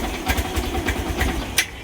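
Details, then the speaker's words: Yamaha YTX 125 single-cylinder motorcycle, normally fitted with a sidecar, idling unevenly with stumbling, missed firings at about five pulses a second; it won't pull away even with the clutch released, returned from several shops, clutch suspected. Misfiring idle. "Ganun talaga problema niya. Ayaw umusad tapos ngayon ang nakikita ko is palyado."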